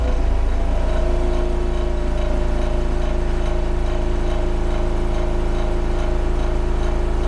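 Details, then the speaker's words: Hegner scroll saw with blade tensioned via quick clamp tension lever, running very fast on a wooden shop floor: quick, even buzz with a steady low hum and no rattles; the sound of a properly tensioned saw. "now this is the sound you want to hear that is the sound of the properly tensioned scroll saw"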